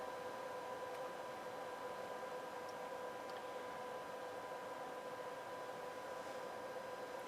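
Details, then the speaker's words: NAD 2140 power amplifier in bridge mode, 1 kHz test tone at 43.6 V RMS output with SLC on: steady thin ~1 kHz whine from the transformers over soft hiss, normal under load. "hear that 1000 hertz whine coming out of the transformers or somewhere here. So, seems to be doing good."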